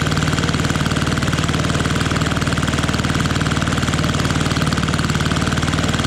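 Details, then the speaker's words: Fiala Valach VM70V1 70cc four-stroke single, newly installed in a Hanger9 X-Cub RC plane restrained outdoors in cold, snowy weather, first run: strong, even low thump about four beats a second, no misses or rattles; smooth, healthy running. "now this is a four stroke so it takes two revolutions to get to that compression oh listen to that i love it i love it"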